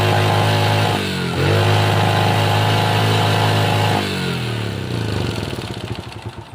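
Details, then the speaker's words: Honda Supra Pit New (2000s model) single-cylinder four-stroke after timing chain replacement, cover refitted, fresh oil: clean steady idle, couple of smooth blips, then shut off, no timing-side rattle; mechanic still suspects piston and crankshaft bearing wear. Normal idle. "Oke teman-teman, tadi sudah kita dengarkan bagaimana hasil akhir setelah kita melakukan pergantian rantai timing. Rantai timingnya sudah oke, tidak mengeluarkan bunyi berisik lagi."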